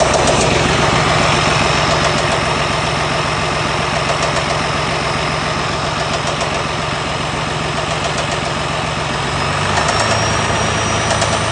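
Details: 2022 Freightliner Cascadia with DD15 diesel at idle: steady, heavy knock of nearly four beats a second, traced to spun rod bearings.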